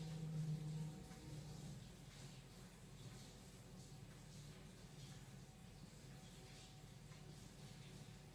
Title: Weird Noise coming from the drain